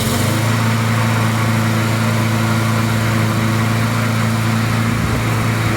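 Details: Poulan push mower with a Briggs & Stratton Quattro 4 hp engine, after fresh oil, fresh fuel and a sharpened blade: a steady, even low hum with no misses, surging or knocks. Normal running.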